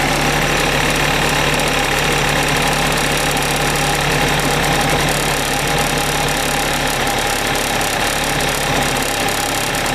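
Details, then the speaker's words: Suzuki Address 110 scooter, crankshaft at 11,373 km, piston kit at 6,392 km, NSK bearings: warm idle with a rapid steady knock about four per second, absent at cold start, appearing after ~10 seconds; owner suspects piston or wrist pin. "потом через 10 секунд этот 12 там слышно можно что такой неприятный звук пас посторонние такого не должно быть у двигателя"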